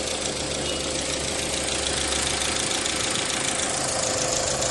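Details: 2001 Audi A4 Quattro after replacing the four faulty ignition coil connections behind the no-power fuse 28/29/34 no-start; steady, even idle with no misses or stumbles, running smoothly again.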